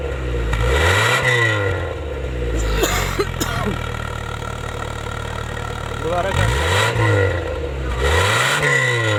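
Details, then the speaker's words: Honda City 2000 petrol engine, after step-by-step repair of a misfire at idle and under acceleration: several quick revs rising and falling cleanly without stumbling or popping; misfire gone, about 80% fixed, with a small issue remaining. "लेकिन हमारा जो मसला था meeting वाला वह दूर हो चुका है"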